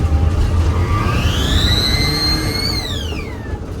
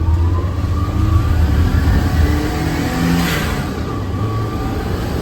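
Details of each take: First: Turbo Daihatsu Mira, first pull with newly fitted BLITZ blow-off valve replacing HKS: high thin whistle climbs with revs then sweeps down on throttle close, toy-like and screechy. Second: Turbo Daihatsu Mira with the blow-off valve that came in the car refitted after the BLITZ one, free revs: engine revs and lets off with short airy whoosh as pressure vents; normal blow-off valve sound.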